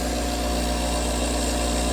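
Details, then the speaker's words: Roughly 40-year-old Fluoromizer 3500 recovery compressor: it restarts straight away with a steady, even hum, still suctioning, no knocking or labouring; owner suspects the earlier no-start came from bad power. "Still sucking, running. Restarts right away. No issues."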